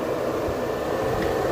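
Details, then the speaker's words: R32 Skyline with a newly fitted 12-inch slim-shroud electric fan, replacing a fan clutch that hit the intercooler pipe, blowing toward the engine; a steady airy whoosh with no ticking or scraping, though the owner is not 100% sure. "so um the fan doesn't make any noises so for now i'm i'm still not 100 but i'm going to go with it"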